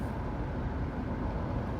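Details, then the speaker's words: 2001 Chevy Tracker 2.5L V6 on a test drive after an oil change: steady low cabin rumble over a smooth road, and the earlier lifter tick is no longer heard. "That was kind of the whole point of doing this oil change, because with fresh oil, it can help the lifter tick go away, and it looks like it did. Sounds like it did."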